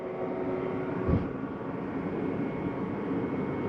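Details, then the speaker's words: 2024 Intech Flyer Forge trailer, power awning extended via the touch panel "out" button: steady, even motor hum with a faint whine, no grinding or straining; awning motor extending normally and stops itself when fully out. "Let's go ahead and run our awning out. I'm just going to touch the word out. Just going to go ahead and start running itself out."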